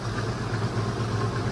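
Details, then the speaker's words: Marketplace Volvo automatic, long-sat car started: low, lumpy idle with an uneven, wavering beat instead of a smooth hum; running rough, sounds awful, cause unclear. "That doesn't sound too healthy. Does that sound not very healthy to you? Oh, it sounds awful."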